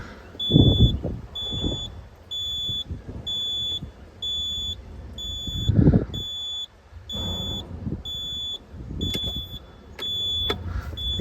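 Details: Cat 226B skid steer running after drive pump and hydraulics work: steady diesel beneath a high beep about every half second. A warning beep, thought to mean the seat bar must be down.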